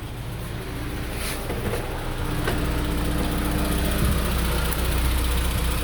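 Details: 2003 Honda S2000 petrol engine idling with a light, fairly regular tick over a low, steady hum after a recent AP2 retainer swap and multiple valve adjustments; cause unknown.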